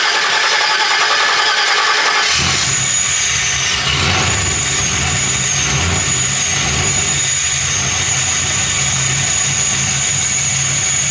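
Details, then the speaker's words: 1986 Chevy K20 with swapped 6.0 LS, 4L80e, Tick Stage 2 cam, fresh 5W30, no coolant, first fire-up: silence, then the V8 fires and settles quickly into an even, steady idle with no misses or knocks; normal idle. "run [Music] this sounds good"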